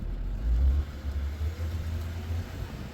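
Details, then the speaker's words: With the wheels cut to full lock after suspension work, only a low, even engine rumble is heard; the earlier heavy clacking from the left CV axle is gone, with just a very slight noise from the right axle. "no noise. So I am happy with that. I can hear a very, very, very slight noise from the right axle, but that heavy, heavy clack, clack, clack, clack, that was from the left axle."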